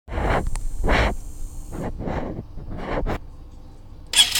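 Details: Honda CBF125 single-cylinder revved in sharp bursts with a raspy, puffing chuff on each blip; exhaust leak at the cylinder head exhaust port, where the single-use seal needs replacing.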